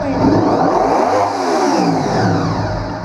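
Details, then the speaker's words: 1998 Honda VFR800Fi V4 running with the airbox open: fires right up and idles well, and under gentle throttle it revs up quickly and cleanly, then settles. Only a sudden snap of throttle makes it stutter, which is blamed on the mass airflow control. "So we can actually fire this bike up with the airbox open like this, and you can see that in here that it's running, fires right up, idle's great."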